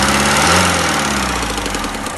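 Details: Mercedes OM601 diesel idling with a rapid, regular knock over the clatter; an unexplained knock inside the engine, cause not yet identified.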